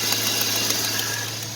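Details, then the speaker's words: 1999 Chevy Silverado 5.3 V8 idling with light quick ticking from the front, over a breathy exhaust note, caused by an exhaust manifold leak, not timing chain slap. "as you guys can hear the ticking that's coming from the front of the truck that it's not like a timing chain slap from like a 5-4 Ford or something like that that is a manifold leak from a from a 5.3"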